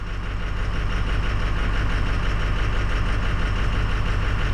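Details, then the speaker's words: 2006 Ford 6.0 Powerstroke diesel during a scan-tool cylinder cutout test; disabling cylinder 8 changed nothing. A low idle clatter with an uneven pulse about twice a second, starting to stumble; a stuck-open injector aerating the fuel is suspected. "we gotta cycle our key numerous times and get our fuel system primed back up again because she's starting to fall on her face"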